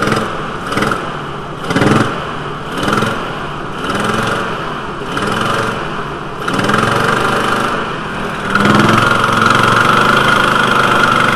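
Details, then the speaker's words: VW T4 2.5L with intermittent rough running when cold: idle surges and stumbles about once a second before steadying; broken cylinder one intake valve spring holding the valve open caused rough running, later repaired and smooth again. "nice and smooth again cylinder one intake valve broken spring pause valve flow ruff running"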